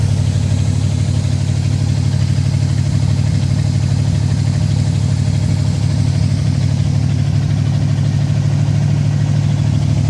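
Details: 1970 Oldsmobile Toronado 375 hp 455 V8, started after sitting for years, choke held with a screwdriver, battery charger on: deep steady idle with slightly uneven lope, about three beats a second; one cylinder seems down; compression test planned.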